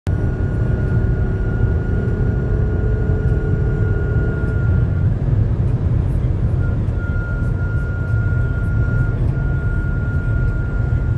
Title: BMW X5 G05 crazy making noise above 200 km/h